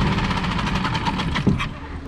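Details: Mercury 4-stroke small outboard (3.5–6 HP class) in water test after carburetor replacement, previously started then died: quick even firing patter, steady low rumble, no misses; normal running.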